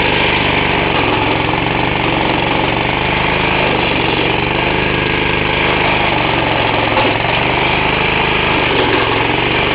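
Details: Half-restored 1954 reel mower: repainted Briggs & Stratton 6S, 1.6hp, non-original shroud, pull start removed, homemade throttle valve; plus 1984 Montgomery Ward B&S 3.5hp TMO-37425A. Steady, even single-cylinder putter, no misses, knocks or surging; normal running.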